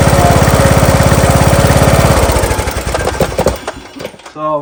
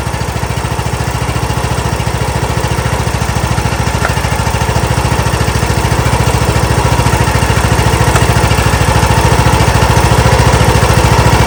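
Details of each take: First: John Deere LA115 with 19.5hp Briggs & Stratton engine chugs, slows, stumbles and dies at idle, also smoking; spark present, plug looks rich, carburetor looks to be flooding, possibly bad needle overfilling; spark plug replaced. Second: John Deere LA115 with 19.5hp Briggs & Stratton engine, after spark plug change, started on choke: steady, even low thump, then shut off near the end; normal running after fix.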